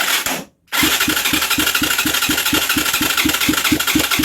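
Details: Huaniao HN125 Chinese 125 cc motorcycle: steady starter churn, about five compression pulses a second, no firing or catching; cranks but won't start, easy start to be sprayed in next.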